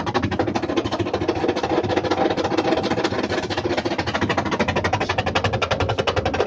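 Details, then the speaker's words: Washing machine spin motor run after rewiring timers and capacitor; rapid even clatter of several ticks a second because the machine is lying on its side; spin motor rattle from machine lying on its side. "अभी चूँकि वो लेटी हुई है, ये लेटी हुई है इसलिए वो वैसे आवाज़ कर रही है।"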